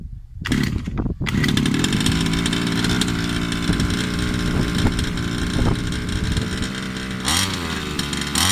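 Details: Baja 5B RC car two-stroke, customer's engine: loud buzz revving up and holding a high, slightly wavering pitch, no smoke; running ragged, fuel or piston ring suspected at first, traced to a faulty carburettor.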